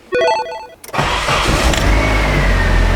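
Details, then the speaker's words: 1995 Nissan 240SX engine in a 1997 S14 shell after reinstall, brake booster vacuum line reconnected; warning chime, short crank, clean catch and smooth rising rev that settles evenly. Starts and runs normally. "Okay, success! Super happy with that result. Everything works as it used to."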